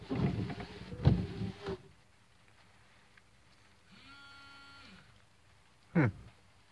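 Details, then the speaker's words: 1980s Jeep, wipers tested after freeing a jammed vacuum tube during vacuum-line rework: a short, even wiper motor hum rises briefly then holds steady for about a second with no grinding or stalling; normal operation. "okay let's try the wipers now I had that that freaking tube was jammed up on the wipers"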